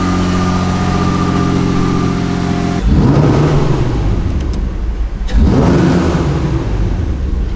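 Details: Toyota MR2 exhaust after the exhaust leak was fixed: two clean revs rise and fall smoothly, with no ticking or puffing at the manifold. The exhaust now sounds sealed and normal.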